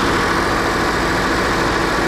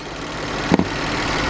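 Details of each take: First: BMW N63 V8 held at 2,000 rpm during intake valve carbon cleaning for a persistent cylinder 7 misfire traced to leaking intake valves: steady raised-rpm roar with a slightly uneven, lumpy pulse underneath. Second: BMW N63 V8 idling evenly with no misfire after intake valve carbon cleaning; the cylinder 7 misfire came from low compression leaking past the intake valves, and the coil and injector were fine.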